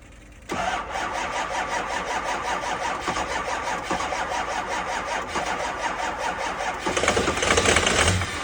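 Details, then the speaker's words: 2005 6.0 diesel, cold start at 15 degrees F with two batteries and a jump pack; slow, steady cranking about two and a half turns a second, almost catches near the end but never fires; cold crank no start. "And that's that, bro. They don't always start. That's 2 batteries and a jump pack. It almost went. We're close."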